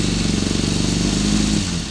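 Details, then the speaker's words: 2005 Kawasaki ZX6R (ZX636) at idle, run through the gears. The clutch cover took a hit, leaks a little oil and rubs the clutch, giving a faint rhythmic tapping over quick steady engine pulses. Motor and exhaust otherwise sound good. "She is leaking a little bit of oil and she is rubbing on the clutch."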